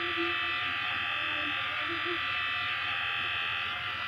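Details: Asus A556U laptop: steady raspy buzz with hissy whirr from the noisy cooling fan, before cleaning and lubricating the fan and replacing thermal paste for overheating.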